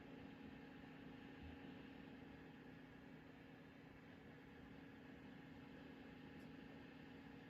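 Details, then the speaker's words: Livivo portable countertop mini fridge, five days old, on cool setting in a hot UK room: only a very faint, steady low hum with no clicks, rattles or pitch changes; running quietly and normally. "The noise is very, very quiet. I can't barely hear anything, so this is really cool."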